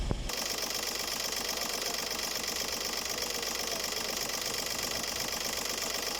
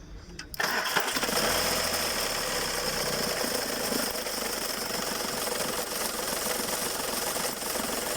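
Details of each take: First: Skoda Fabia 1.4 TDI diesel, accessory belt removed, customer reported a squeal near the accessory belt: steady, even idle with consistent fine clatter and no knocks, squeals or rattles: normal idle. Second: Skoda Fabia 1.4 TDI, belt removed: engine runs with fast uneven knock about three or four a second over idle from worn belt tensioner and alternator pulley, alternator itself also noisy; earlier squeal worsened after replacement was postponed.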